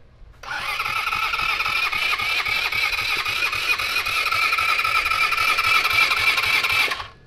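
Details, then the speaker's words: 150cc full-suspension go-kart, sat over 5 years: starter spins it steadily for about six seconds but it never catches. Crank no start; owners suspect flooding and pull the supposedly new carburetor. "All right. You ready? Crank. Yeah. Nothing. Oh, man."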